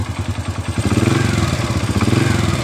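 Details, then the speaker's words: Honda Supra Fit motorcycle that rattled on the left engine side when throttled, after replacing the part causing internal friction: steady, regular engine pulse revving smoothly with no rattle or scraping; normal running after repair. "tidak ada suara gesekan seperti sebelum kita pembongkaran itu"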